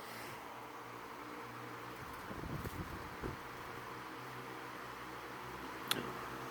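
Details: Vintage Windmere 16-inch oscillating desk fan (Kuo-Horng, Taiwan, late 80s/early 90s, model NR-16/413), bearings oiled, running with oscillator engaged: quiet, even airflow hum with faint steady motor tone, no ticking or grinding, some handling noise; normal fan operation.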